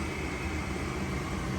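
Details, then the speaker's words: Goodman gas furnace after repair, no error code: draft inducer motor running with an even low hum and constant airy rush, no rattle or wobble; pressure switch should now be closed; normal inducer operation before ignition. "Inducer motor is on. The pressure switch should be closed now."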